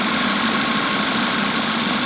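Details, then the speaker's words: Audi A5 after eight codes were cleared, idling for about five to ten minutes: smooth, even idle with no stumble or miss and no check engine light; owner thinks the all-cylinder misfire is fixed. "I've been letting this thing run for about five ten minutes no no lights no check engine lights so I'm thinking it's fixed she's running really smooth right now"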